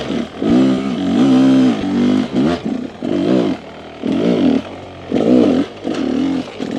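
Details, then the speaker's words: Rieju two-stroke with 36mm Keihin carb replacing 38mm stack carb, riding a trail run trying to hold a wheelie: surging pulls dropping deep into low revs and climbing again without stumbling; lugs cleanly, more docile bottom end aiding traction. "I like the sound. I like the lug. It definitely feels like the bike is more docile on the bottom. Very smooth, very controlled. You can hear I can lug the bike a little deeper into the RPM, which assists me in holding control and holding traction."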